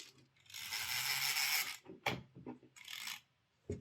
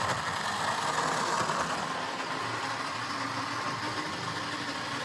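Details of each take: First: Old Jouef HO Class 21/29 model locomotive, washer fitted under the gear, brass dust found: harsh gritty whir in uneven bursts as the motor strains; worn worm gear grinding its brass gear, running noisy and wobbly but going. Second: Jouef HO-scale Class 21/29 model locomotive on the layout after servicing, with no replacement motor available. A continuous coarse whirr and steady drone show it turning freely but running loud and rough; normal running with a noisy gearbox.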